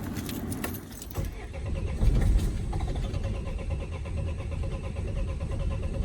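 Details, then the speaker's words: Vauxhall Vivaro/Renault Trafic 1.9 dCi diesel after a runaway, fuel pump primed: it cranks at a steady pace but the compression pulses are uneven across cylinders and it won't start. Owner suspects the engine is done for. "it sounds when it's turned over it's got compression on more cylinders than other"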